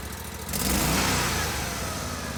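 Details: GatorTail 35GTR mud motor with Backwater Performance Systems exhaust, baseline before carb, intake and exhaust upgrades: even idle swells into a clean, smooth rev and settles back with no knocks or misses; healthy motor.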